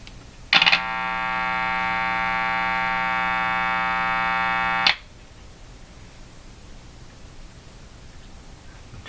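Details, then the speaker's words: Hallicrafters TW2000 communications receiver, testing grounding the capacitor directly to B minus to cut hum: a steady buzzy hum rich in overtones for about four seconds, slightly less with the B-minus connection; cause suspected, not confirmed. "A little less when it's onto the B minus here."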